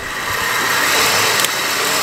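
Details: Engine idling: steady high hissing whir over a quiet idle with no knocking, from the front accessory drive; a bearing is suspected, not confirmed.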